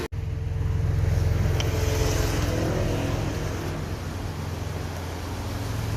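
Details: Hyundai Galloper LPG vaporizer engine after no-start repair: even, steady low idle rumble at about three and a half beats per second, no misses or knocks; healthy idle restored.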